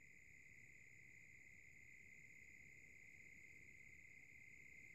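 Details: Silverstone SX-600 power supply (V1.0) fan slowing down at low speed: quiet fan with a steady high chirp and a faint fast rattle that lasts a long time; fan rattle at low speed.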